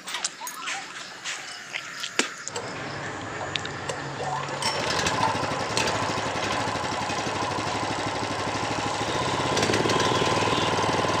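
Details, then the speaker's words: Honda GX390 engine, previously hard to start with harsh rattling noise, after teardown and repair, crank turned to circulate oil and plug refitted: catches after a few pulls, settles into a steady even beat with no knocking; normal idle after repair. "bilang mesinnya sudah normal sekarang, teman-teman. Ini bagus sekali. Sempurna dan siap digunakan."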